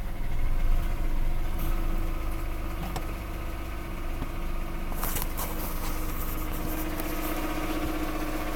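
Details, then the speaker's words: Mazda Protege petrol engine idles with a loose, uneven knocking under a low hum that rises as it revs; it appeared after a fuel fill and runs fine. The owner wonders about an alternator bearing; cause not confirmed. "Here's the knock noise my Mazda Protege is making. It seems to run totally fine."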